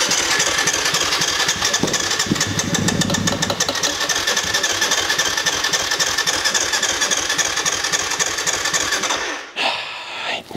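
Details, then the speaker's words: Kawasaki KFX 450 quad with KXF engine catches on starting spray, buzzes at fast uneven revs for several seconds then dies; fuel not reaching the cylinder, injector or its wiring suspected, not confirmed. "Le problème, c'est que si tu mets un produit là et qui commence à s'emballer, c'est qu'on a pas d'essence qui arrive à la bougie, hein."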